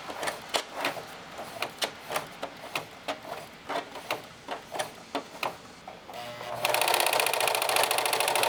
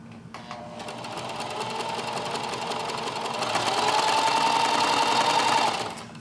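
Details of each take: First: Singer 4432 heavy-duty sewing machine after cleaning, oiling and greasing, about ten months of heavy use: slow clicks, then fast busy clatter at full pedal with a faint irregular knock; owner suspects something needs adjustment, unconfirmed. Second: Singer 4432 heavy-duty sewing machine after oiling, greasing, cleaning fluff and snugging screws; even quick ticking about three and a half stitches per second with steady hum, no clatter; sounds much better, working as intended.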